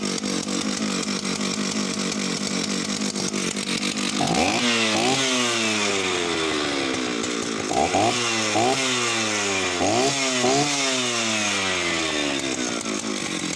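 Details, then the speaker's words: Oleo-Mac 272 Classic Italian chainsaw on its last run before going to a new owner: it idles and is blipped to high revs several times, picking up cleanly and dropping back. It runs flawlessly apart from an odd occasional misfire, perhaps from lack of use. "She runs flawlessly as far as I can tell. Just the odd kind of misfire now and then, but that's just perhaps it's just literally lack of use."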